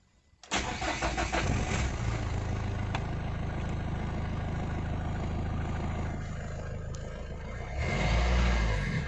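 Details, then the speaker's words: Mahindra Verito D6 with Duster's 1.5 Renault 85PS diesel, black smoke and no acceleration after 15 days parked; blocked turbo found and 6-year-old filter replaced: fires up, even low clatter, revs rise cleanly, no smoke at exhaust; fixed. "ले रही है इसका RPM भी अभी ऊपर उठ रहा है।"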